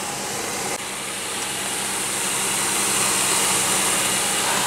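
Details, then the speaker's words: 2001 Pontiac Aztek GT after engine rebuild, once loud high-pitched noise source was found and fixed: smooth steady idle with even hiss, no whine or squeal, shaking reduced; misfire code still showing. "be kidding me I can't believe that was at the entire time and listen it sounds good it's not even shaking as much now"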